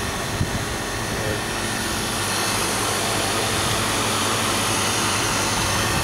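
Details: Static refrigerated trailer condensing unit after cleaning dirty condenser, replacing out-of-spec run capacitor and oiling fan motor (compressor breaker had tripped): loud even rush of fan and compressor, no knocks or surging; running normally.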